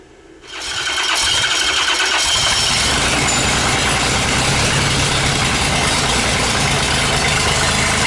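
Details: Rebuilt 5.9 Cummins 12-valve diesel on an engine stand, first start attempt as fuel begins reaching the top: a long, steady, fast cranking churn with no clear firing yet; extended cranking, no start.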